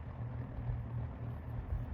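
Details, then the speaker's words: Lakewood P-223 fan (1987/1988) after degreasing to fix long-standing oil problems, on its very soft low speed: steady low hum, no rattles, ticks or scraping; normal low-speed running. "but for now this looks pretty good this is promising this fan never sounded like this before it was always you know"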